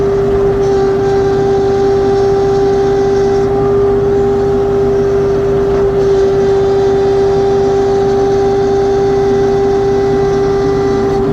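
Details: LS XR3135C tractor, noisy hydraulics persisting after two dealer visits: loud, steady mid-pitched whine over the engine running at constant speed; hydraulic whine.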